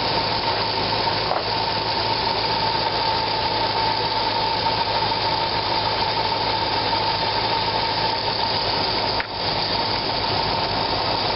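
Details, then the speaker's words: 2004 Corvette Z06 at idle: thin, steady high squeak of constant pitch, first blamed on the serpentine belt; traced to the dry, worn upper AC idler pulley bearing, which quieted when sprayed with WD-40. "That's the upper AC pulley. When I sprayed WD-40 into it, it got quiet."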